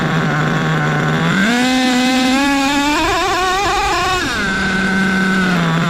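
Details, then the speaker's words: Nitro RC car three-speed transmission, slow trigger pull: engine note climbs, steps through gears evenly spaced, then falls back to idle; shift points properly adjusted. "But if you slow your trigger pull down, right, you will get some distance between the two shifts, and it'll sound a lot better, and you will be happier because you will hear these gear changes every single time your transmission comes up to speed."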